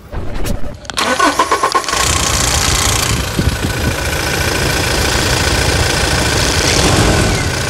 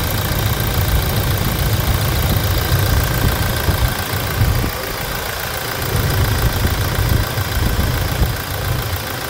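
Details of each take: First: 2016 Toyota Hilux 2.8 GD diesel, 350,000 km, older recording made before the timing chain replacement; it cranks, catches and settles into a harsh idle with a steady metallic clatter: timing chain rattle. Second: 2016 Toyota Hilux 2.8 GD diesel, 350,000 km, idling after a timing chain replacement; a low, even, soft clatter with no chain rattle, praised for its smoothness: normal idle.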